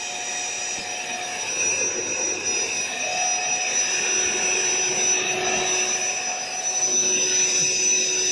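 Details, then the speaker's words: AeroBed Deluxe Raised double air bed, built-in electric pump finishing inflation, pinhole leak suspected near the bottom: constant high-pitched whirring drone holding an even pitch; small pump motor running normally. "So let's fire this thing up. It's going to be a bit noisy, so what I'm going to do, so it's on standby"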